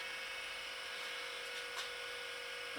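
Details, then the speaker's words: First test of a homemade controller on a Chinese diesel heater, glow plug drawing 8.6 A: a thin, rough buzzing whine at steady pitch. The fan in the battery charger is suspected of running rough. Rough fan noise. "oh right we're drawing 8.6 amps looks like the fan in my battery charger as uh developed a rough and nasty"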